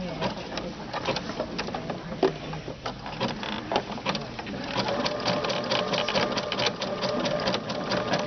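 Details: Sewing machine with fringe looping foot after bending the thread bar so loops drop off: quick, even stitching chatter settling into smooth rhythm, no snagging or thumps; sewing properly.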